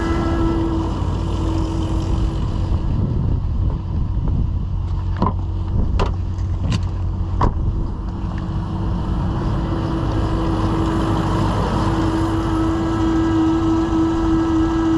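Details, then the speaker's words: 2015 Chevrolet Suburban, battery not charging, negative unhooked, engine running: steady hum with faint constant whine and a few clicks; alternator whining and heating quickly (over 250–310 degrees) while engine under 100; failing alternator. "I don't know if you can hear that, but the alternator has a little bit of a whine to it right now."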